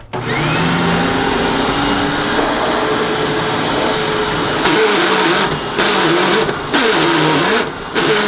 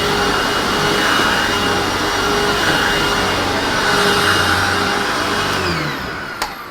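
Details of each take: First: Hoover WindTunnel self-propelled upright vacuum after service: motor whines steadily, then with self-propel switched on the drive gearbox breaks into loud, harsh, warbling grinding bursts; transmission to be removed. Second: Hoover WindTunnel self-propelled upright vacuum (U64xx series) after epoxy repair of a cracked housing that caused a horrible noise: even motor roar with steady pitch, no grinding or clatter from the drive, then winding down; normal running.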